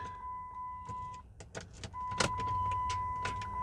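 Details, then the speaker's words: Rusty Chrysler 300 (3.5) towed in after sitting a long time, new battery fitted: warning chime, then a single sharp click at the key with no cranking; power reaches starter, solenoid energizes but doesn't turn flywheel; starter solenoid click, no crank. "you turn the key to the crank position i heard that click so what that tells me guys is power supply is getting to the starter all right the solenoid is attempting is trying to energize for whatever reason it's not turning the flywheel flex plate"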